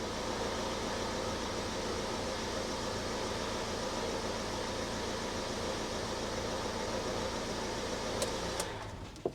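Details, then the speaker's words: 2007 Ford Transit Connect 1.8 TDCi diesel, about 144,000 miles, just started after oil and filter change, idling without revs: steady, even idle with soft low clatter and no knocks or misses; oil pressure light went straight out, sounds normal. "Oil pressure light went straight out, so that's a good sign. It all sounds good."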